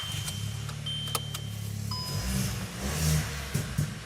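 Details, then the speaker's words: First start of a VW Up converted to turbo Up GTI: engine catches and settles into a steady low burble with a rising rev, little crackles, turbo audible; healthy, runs cleanly. "oh oh it's got little crackles man it's proper legit Volkswagen all right let's hit it oh I can hear the turbo already"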